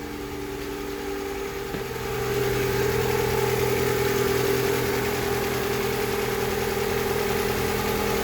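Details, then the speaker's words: 2003 Honda Civic, just after a complete engine overhaul for an oil leak, left running to reach temperature after burning off cylinder residue; the idle firms up slightly, then holds smooth with no knocks or misses: normal, healthy idle. "It burned off whatever was in the cylinder. That's very positive."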